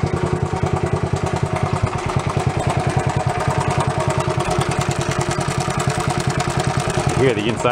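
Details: Honda Trail 70 single started without choke, before points and magneto work, thumping along at a quick, slightly uneven beat as cleaners burn off; rough idle, cause not confirmed.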